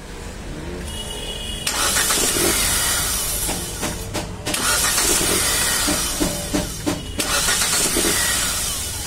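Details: Hyundai Xcent after replacing the defective starter motor bendix that was slipping and missing cranking: starter spins and engages cleanly, engine catches within a second or two and runs smoothly; normal cranking and start.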